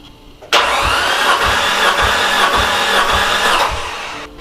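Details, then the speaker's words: Nissan S13 200SX with CA18DET, suspected blown head gasket with water everywhere, being cranked for a water test; steady starter whir with an even low whump about every 0.6 s, healthy cranking compression. "That's a very healthy sounding motor though. Did you hear how nicely it cranked?"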